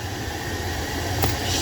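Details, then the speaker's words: Jeep Gladiator cabin blower after removing leaves that fell in during a cabin filter change and caused a loud whine: steady even airflow rush with low hum, no whine or rattle; noise gone, blower running clean. "noise is gone beautiful all right so if you ever have this issue you gotta improvise"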